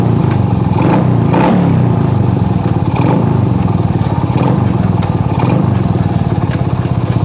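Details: Suzuki Shogun R 110 single-cylinder after repair of a shorted gear indicator light wire that killed the engine in first gear: steady even putter with clean throttle blips, no stalling or misses; engine healthy.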